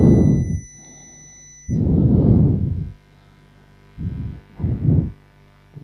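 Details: Homage Tron Duo UPS showing fault 16 (also fault 11), output voltage fine; repairer says removing certain grips clears faults 11 and 16: low rasping buzzer in uneven roughly one-second bursts; fault 16 alarm.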